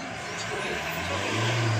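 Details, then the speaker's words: Isuzu MU-X diesel that had a hard start with rail over-pressure (about 221,000 kPa) and a fuel rail pressure sensor circuit high code, now running after a swapped rail pressure sensor: steady even hum, slight swell, no misses or knocks. "So ito, umandar na po. Naging okay na po siya dahil pinalitan natin swap parts."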